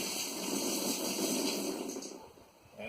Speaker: Once it gets to the top of the upflow, it just starts going out. There it goes.